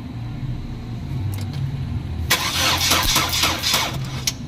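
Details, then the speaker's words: 2011 Chevrolet Cruze that cranks but won't start; fuel pressure, spark, compression and the new coil pack check OK. It catches briefly with a rough burst, then dies because a clogged catalytic converter keeps the exhaust from flowing. "Barado. Hindi makahinga yung makina kaya ganon. So yung ini-intake niya na hangin hindi niya mailabas kaya namamatay siya pag nagi-start."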